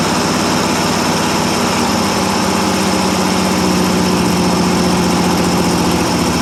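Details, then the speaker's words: 1957 International S120 4x4 pickup old six with straight pipe, restarted after about four years sitting, holds an even, steady idle with a deep exhaust note and no knocks or misses; a good runner once running. "[Music] think actually a good runner when it's running"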